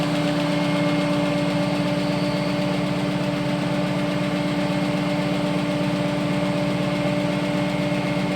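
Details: AMC 401 V8 at steady idle: fast, fairly even light ticking about four per second riding on top, typical of a noisy lifter.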